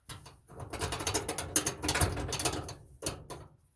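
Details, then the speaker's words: Maytag Bravos gas dryer making a lot of noise: worn belt tensioner/idler pulley bearing spun by hand gives rough gritty ratcheting grind; pulley to be replaced. "But this is your problem. This belt tensioner pulley."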